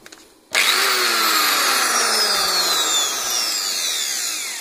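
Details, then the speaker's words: BRAVO angle grinder after replacing collapsed rear rotor bearing whose balls rattled in the housing; snaps on to a high, smooth whine with no rattle or knocking, normal running. "теперь совсем порядок, ничего не телепается, отдаем клиенту. Начинаем работу болгарки. Работает полный порядок."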